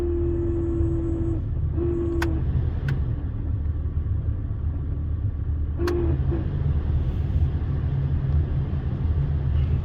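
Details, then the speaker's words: Jeep in snowy weather with the heater blower running: a steady mid-pitched squeal comes and goes in short bursts over a low engine rumble, not every time. The cause is a dry, worn bushing/bearing in the blower motor with play, vibrating. "So it is normally you get that sound, it's the bushing, the bearing that's in the blower motor, and it gets play and dried out and it vibra"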